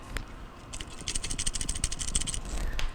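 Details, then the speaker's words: Maytag MTF2156GEW top-freezer refrigerator leaking and not cooling, compressor stopped: start relay removed from compressor and shaken gives rapid loose rattling with something free inside; failed compressor start relay. "it's making noise because this part is no longer any good so what I'm going to do is I'm going to go out and make sure I have the part that I can either a put back on here um as OEM or if I have an aftermarket solution so now what we have here the components are bad the starting components are bad"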